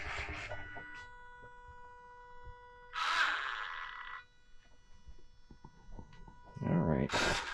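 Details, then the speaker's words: 2011 Kawasaki Brute Force 750 4x4 fuel-injected ATV, dealer front end rebuild with diff lock not working: steady high whining tones through startup with rougher bursts mid-clip and near end; abnormal whine, cause unclear. "Listen to all that. Sounds like we're firing up a spaceship."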